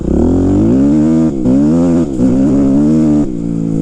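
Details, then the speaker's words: 2005 Kawasaki KX250F four-stroke, stock exhaust, riding through gears after carburetor adjustment (previously ran like garbage): strong, clean pitch climbing each gear and dropping on shifts, no bogging or flat spots; plenty of power. "but after I adjusted the carburetor it runs better or basically the same as the YZ 250 that we did uh but it ran totally like garbage before but sounds good stock exhaust plenty of power so far"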